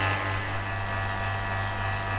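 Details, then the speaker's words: Vacuum pump for carbon fibre resin infusion, switched on and drawing air out of the sealed bag through the catch-pot; steady low hum with an even airy hiss and no surging. Normal vacuum pump running. "actually hear the pump really starting to work now and it'll be through this, starting to draw the air out of the bag."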